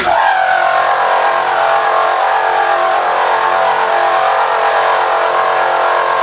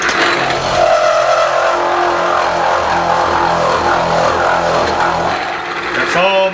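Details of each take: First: Milling fixture plate with Niagara end mill, about three quarters through, power feed slowed to about 2.5: steady even hum with clear mid-pitched ring, no chatter; smooth, quiet cut. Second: Milling machine with Niagara end mill, power feed at number three, cutter about three-quarters engaged: loud harsh cutting roar with strained whine, easing when feed is slowed to about 2.5: end mill overloaded, feed too high.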